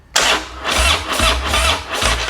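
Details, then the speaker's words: 2016 Harley Road Glide, 18,000 miles, pipe and aggressive cam, quickly rigged wiring, in neutral, no fuel tank: quick starter whir into a loud, lumpy V-twin idle with sharp exhaust bark; normal engine start. "I was gonna say, she's sounding a little healthy with that pipe."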